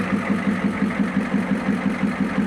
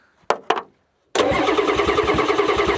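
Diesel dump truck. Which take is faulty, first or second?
second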